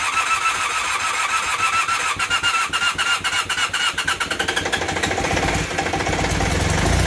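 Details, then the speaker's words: Temporary twin-cylinder motorcycle engine in a project bike, first startup after battery charging with rear silencer fitted: runs unevenly with a sharp puffing tick each exhaust pulse, felt vibration and not smooth; exhaust leak at the exhaust joint. "okay running but not well definitely got an exhaust leak from here here that exhaust but more than that I didn't feel smooth it felt like I was a bit of vibration there"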